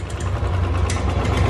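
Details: Royal Enfield single-cylinder at idle: a light rapid tick keeping pace with the low thumping engine.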